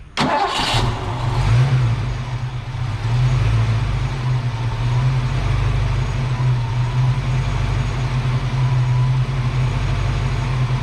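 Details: Foxbody Mustang with a stock cam, ignition timing and idle deliberately misadjusted for a base idle reset: it cranks and catches after the throttle body idle screw is turned in, then settles into a low, lumpy, uneven idle of about 600 rpm.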